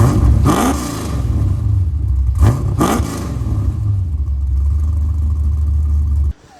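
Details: C4 Corvette with an LQ4 V8 swap, 2.5" dual pipes into dual 3" Flowmaster Flow FX mufflers, before fitting 2.25" Borlas: it rumbles loudly at idle and bellows on sharp rev blips with a heavy low throb. Excessive exhaust drone.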